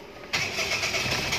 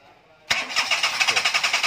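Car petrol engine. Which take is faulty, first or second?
second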